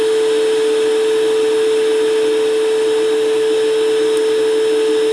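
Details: Shop vac forge blower on a Harbor Freight router speed control (item 43050), hose seated into the forge and blowing air through: steady even motor whine with constant rushing air, no surging or rattles; normal running.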